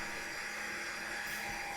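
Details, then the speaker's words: Cisco Nexus C3048TP switch booting after initial setup, fans at full boot speed, airflow verified; loud, even high-pitched whoosh and steady whine with no rattle, about as loud as heard, normal. "I guess this is as good a time as any to talk about the other issue that a lot of people will bring up with data center hardware is the noise level. This right now is about as loud as I've ever heard"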